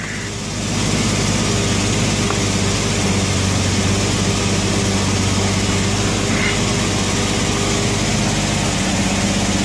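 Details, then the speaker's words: 1990 Jeep Wrangler, just after a starter replacement: the engine catches and settles into a steady, even idle with a smooth low thrum and no knocks, misses or grinding. Finding: normal idle. "only thing left to do really now is start it up sounds mean like it works"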